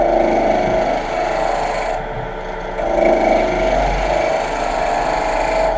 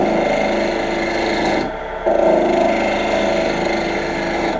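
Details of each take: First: Wood lathe, sharp turning tool cutting a spinning workpiece: even, continuous shearing hiss with no effort, a sharp edge cutting cleanly, unlike the dull tool that tore out the wood. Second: Lathe turning with a dull tool while knocking down corners: rough, uneven rasping scrape over the lathe hum with no clean cutting and no shavings.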